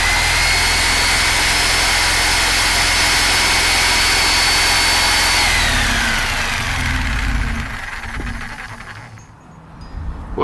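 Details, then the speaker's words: Rockwell electric saw recovered from a river, cleaned and blown out, brushes checked good, trigger zip-tied on. Steady high motor whine with an even drive rattle, holding speed smoothly. Normal running at high speed. "gotta tell you I'm high-speed that freaking thing rock and roll's holy"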